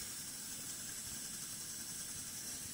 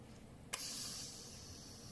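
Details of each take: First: Coleman 508A single-burner stove after its leaking check valve was fixed, with the generator warming up; a small leak elsewhere remains. An even, steady roaring hiss with no sputtering, pressure holding, flame lit right away; normal burner operation. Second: Coleman 508A single-burner stove losing pressure, heard after pumping: a soft click, then a thin airy hiss that slowly fades; air bleeds back through the check valve because its ball is seized.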